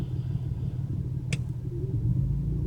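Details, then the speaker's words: BMW 335i cold start the morning after spirited driving, with startup screech and heavy fuel use: lumpy idle running on five, cylinder 6 misfire persists after clearing codes, lambda readings off, reduced power mode. "it's still definitely cylinder sex that's causing the problem"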